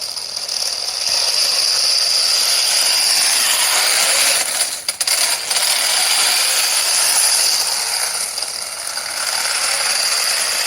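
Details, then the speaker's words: 3D-printed RC tank with new 45-turn brushed 540 motors and 60A ESCs: fast sharp ratcheting clicks over motor whir as loose tracks skip on the sprockets; tracks need tightening. "So you can hear the tracks are skipping a little bit, unfortunately, so I'm going to have to spend a little bit more time tightening those up."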